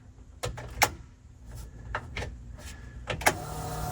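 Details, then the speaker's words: Datsun 280Z GT2 race car powered up for the first time in many years: a few switch clicks, then the fuel pump switches bring a steady, even electric whir as the pump primes normally. "Okay, we got fuel pump number one, fuel pump number two, ignition that we wouldn't expect that would do anything."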